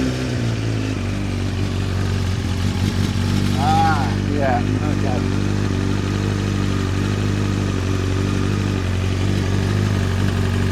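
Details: Honda CBR900RR Fireblade inline-four, just started at idle while checked for an owner-reported fuel smell and drips: steady idle with a light, uneven metallic clatter over it, a very rattly, worn, slack cam chain; carbs also found leaking.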